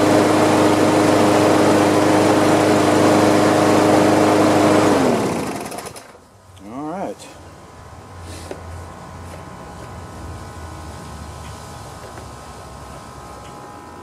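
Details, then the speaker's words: Free Craftsman push mower that had sat outside a long time, after carb cleaning, oil change and new RJ1 spark plug: steady, fairly low drone for a few seconds, then it cuts out; owner thinks it idles kind of low. "well let's see how it sounds i think it's idling kind of low if you ask me"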